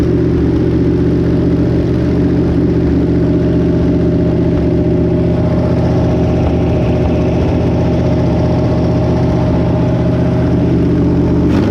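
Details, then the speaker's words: Barn-find 327 V8, stored since the 1990s, on an engine run stand with a short water pump: steady, even idle with a smooth low rumble and no knocks or misses, slight exhaust leak noted; normal idle. "got everything hooked up and this Old Barn 327 actually runs pretty good"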